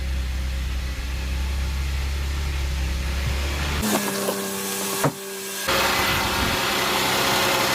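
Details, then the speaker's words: Audi A5/A6 3.2L engine idling after first start following internal coolant leak repair, crankcase cleaner about to be added: smooth, even low hum with no knocks or shake, some handling noise; no vibration, no oil pan drips, healthy idle. "no vibration looks good oil pan No drips"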